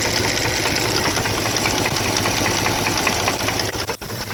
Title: 2002 dodge ram 1500 4.7 l v8 engine knocking